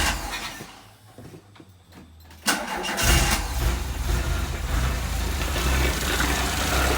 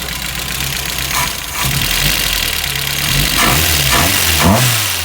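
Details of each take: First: MK1 VW started cold right after valve adjustment and cam swap: short crank, quick catch, steady even idle with no ticking or misfire; night and day difference, clearances rechecked fine, one intake slightly loose. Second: Mk1 VW petrol engine running with a light, busy valve train clatter; valve clearances too loose, intake on cylinder 1 measured 0.016 against 0.006–0.010 spec, exhaust 0.016 on spec; valves need adjusting.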